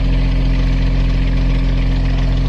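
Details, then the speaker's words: Beta 25 marine diesel after valve lash (rocker clearance) adjustment, engine box closed: steady, even low idle with no ticking or chatter and no tone change through rpm; one valve likely was out of spec before. "it's definitely smoother. Definitely uh lacks the change in tone that was occurring uh through different RPM."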